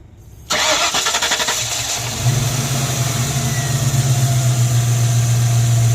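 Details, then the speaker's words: Mystery project car before a parking-lot test drive: cranks briefly, catches, settles to a fairly smooth low idle that already hesitates a little; timing and fuel pressure suspected a little low. "Running fairly smooth now. Probably a little low on timing, low on fuel pressure."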